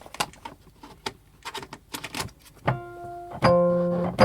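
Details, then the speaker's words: Wurlitzer 200A/EP200 electric piano, powered on after tuning the dodgy F and clearing the reed from the pickup, where crud often causes crackles. Light clicks, then clean sustained notes without crackle or buzz; normal tone. "I think that's good enough for jazz. Nice, lovely Wurlitzer sound."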